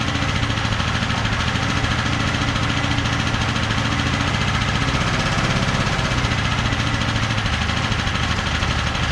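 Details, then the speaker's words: ETQ TG72K12 portable generator, about 14–15 years old with 13 hours, unused 10+ years, new battery, started on the second pull: loud, steady, deep drone at even speed with no misses or knocks, auto throttle working. "I can't believe that thing started right up I mean what was it like I mean it tried to kick on the first pole and then the second pole it started right up after sitting that long"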